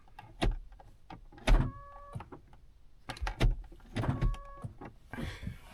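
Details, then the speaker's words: 2010 Honda Odyssey, working lock moved by hand: quick clunks with short motor buzzes as the rear lock actuators cycle; those actuators work normally, while the door lock being taken apart is suspected jammed. "Now you can hear the locks in the back going off. This lock and the ones in the back are working just fine."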